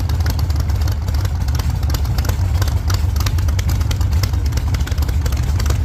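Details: 1948 Chevy Fleetline small-block Chevy V8, 4-speed, after a fix for push rods breaking on the first burnouts: deep, heavy V8 rumble held steady at high load with tyre roar during a test burnout, firing even and solid, no knocking.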